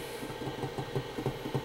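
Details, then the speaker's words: 24-year-old external SCSI hard drive attached to a PowerBook 180: quick irregular soft clicks and thumps over a low hum as the heads seek; drive spins up and is recognized normally. "Okay, you can hear it seize the drive. That's a good sign."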